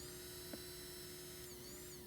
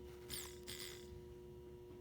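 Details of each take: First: 2001 Toyota Sequoia fuel pump, failed at 217,000 miles, bench-powered directly from a battery charger: thin electric whine that runs, then winds down and dies. Intermittent pump failure; a bad connection is also suspected. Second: 2001 Toyota Sequoia replacement fuel pump bench-tested on direct power: steady, even electric hum with no stutter. Working fine, unlike the old intermittent pump.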